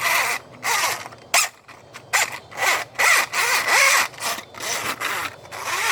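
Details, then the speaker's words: Older Polaris 380 after replacing bearings, drive train and belts: short repeated bursts of high-pitched squealing whine with no engine rumble; owner suspects the new gears are not yet bedded in, cause unconfirmed. "Usually doesn't make that noise, but I'm thinking it's just because all this is new. Yeah, I really just think it's because these gears and stuff are new. It's making that winding noise."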